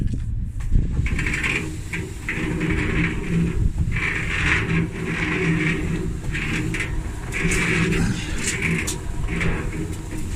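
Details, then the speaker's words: Dryer after repair of a grinding noise: rollers cleaned and lubricated, new belt fitted, drum turned by hand. Smooth rolling rumble with a soft swish each turn and no grinding as the belt settles; normal rotation. "You can roll it. Nice and smooth, no noise. Just beautiful."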